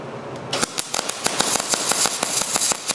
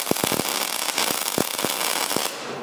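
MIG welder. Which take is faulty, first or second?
first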